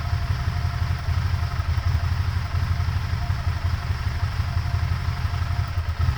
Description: Still idling rough after purge valve replacement.